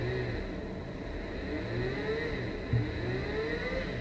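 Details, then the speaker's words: Brushless 3-phase motor on a WS55-220 driver at 30 V, restarted from low speed and brought back up: smooth whine rising gradually in pitch over a steady high hum; clean, normal run-up. "you have to go to the low-speed and then speed it up again and then it will be okay but this is something pretty simple to do"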